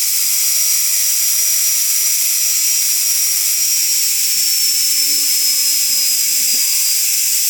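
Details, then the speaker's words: Front-load washing machine 6-wire universal motor on a bench test, fed line and neutral through one carbon brush and one field winding: smooth, very high-rpm steady whine with slight pitch drift, no grinding; spins freely. "देख सकते हैं आप ये इतना high RPM होने का कारण ये चल रहा है। पता भी नहीं चल रहा है कि ये घूम रहा है।"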